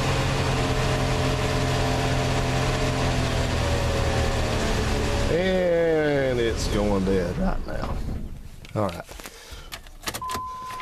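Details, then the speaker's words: 1987 Plymouth Gran Fury with suspected fuel starvation, throttle held steady: idle holds briefly, then revs sag and hunt unevenly on their own before the engine dies; engine surging and stalling, cause unknown. "now when you hear this thing when it sounds like the engines like I'm revving it up and then it goes like the speeds engine please going back back now that's doing that itself"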